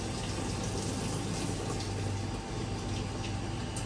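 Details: Whirlpool Cabrio stator-driven top-load washer in test mode, with the hot inlet valve toggled on: steady rushing water with a low hum as the tub fills normally.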